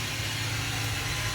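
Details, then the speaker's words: Honda Civic Si EP3 that sat about 8 years in a field: a steady idle buried under a loud, constant hiss and whir from the accessory drive at the front. A new pulley is on order. "my goodness listen to how loud that accessory Drive is I don't even know if you guys can hear me over that the accessory Drive is super loud"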